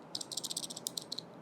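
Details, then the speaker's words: SanDisk Ultra Dual Drive Luxe 128GB Type-C pen drive, shaken after speed testing: a quick burst of light, high plastic clicks because the casing has worked loose. The owner suspects heat expansion; this is not confirmed. "It does become loose, which is weird. Not expected from a, premium product."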